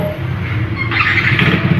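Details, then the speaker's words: Yamaha Nmax after replacing a faulty starter one-way clutch with a used one, plus side-case work: engine catches and settles into an even low idle, with extra mechanical chatter from the open side case, cover not yet fitted. "อ่าเดินเบาปกตินะครับแล้วก็เสียงดังจากชุดข้างนะยังไม่ได้ใฝ่ฝาครอบนะครับ"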